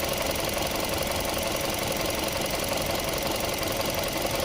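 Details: 2014 Chevrolet Sonic 1.8L with codes P0106 (MAP sensor performance) and P0171 (lean bank 1), fuel trims around 40%; uneven idle with loose, irregular ticking stumble about three beats a second; rough idle, cause not confirmed.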